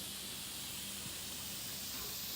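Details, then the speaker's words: Tail end of an electric pressure cooker's steam release after cooking pot roast: steady, even hiss, with a little harmless moisture bubbling up, nothing rattling or sputtering; normal. "can kind of still hear it go. It's just a little bit more going. Sometimes you'll have a little bit of, you know, moisture kind of bubble up from there, but that's not hurting anything."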